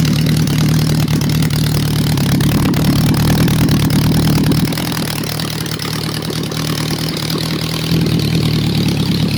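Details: Honda four-cylinder bike, warm: steady, even idle with a smooth low burble and no misses or stumbles; normal idle.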